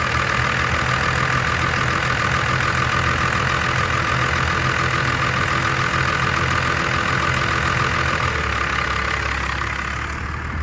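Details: Diesel just after replacing the throttle linkage ends, before idle adjustment: slow, lazy idle with a loping, uneven beat, only about 300 rpm; idle set too low and needs the idle screw raised.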